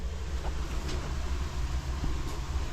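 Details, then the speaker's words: 2023 Sea-Doo GTX 300 Limited, stage 1, after retightening the boost clamps once warm. Even low idle rumble with no hiss or whistle; boost side holds pressure, no leak. "all right let's check and see if we have any leaks oh boy listen to that nothing no leaks"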